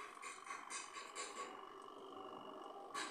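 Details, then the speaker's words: Washing machine spin dryer after tightening a nut that was touching and causing noise (seal was fine): quiet even motor hum with faint steady whine, no rubbing or knocking; spinner runs smoothly, repair done. "इसका spinner चल रहा है माशाल्लाह अच्छे तरीके से, इसमें कोई साउंड नहीं है। इतनी हल्की सी साउंड होती है इसकी मोटर की, वो साउंड है।"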